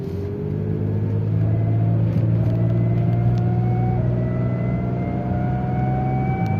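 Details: BMW E39 528i while driving: steady engine rumble with a thin whine rising with speed; cause not found.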